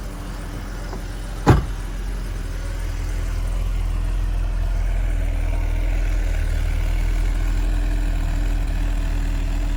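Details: Mercedes 280SE cold start after sitting since yesterday: fires with a single thump, then settles into a smooth even low idle with no knocks or misses; dash lights on while warming; healthy cold start.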